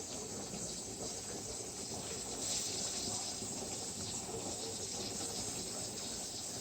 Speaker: So you can hear it. It's actually starting to hiss a little bit. And you can see some steam coming out of the sides.